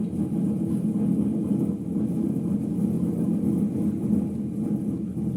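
A deep, steady rumble holds through the coast-down with no sharp knocks, the low growl of worn drum bearings.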